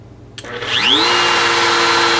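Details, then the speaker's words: Bosch GKF125CEN palm router at speed 4: motor whines up fast to a high pitch, jerking slightly in hand, then electronics settle it a little lower and it holds steady; soft start and speed control working normally. "Okay, and then if you look, it'll jerk in your hand a little bit here. You'll see it, and then it'll smooth back out."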